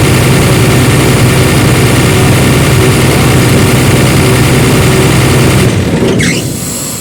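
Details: Airman diesel air compressor that cranked but would not start because the fuel pump and starting relay were de-energized, after fuse fault traced; steady, even low throb for several seconds, then shut down; normal idle.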